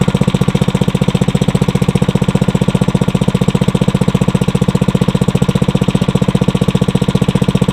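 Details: Briggs & Stratton 900 series engine, used about 2 hours a year, oil unchanged for a long time, just cold-started on choke on the first pull after cold nights; even, steady single-cylinder putter about 2.5 beats a second. Normal idle.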